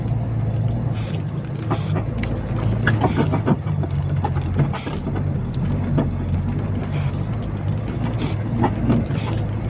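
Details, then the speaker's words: KamAZ 65115 truck while driving loaded hauling snow: irregular sharp knocks and creaks behind the seat from the hydraulic cab locks over the low engine drone. "вот друзья вот такие были скрипы hydra звонков"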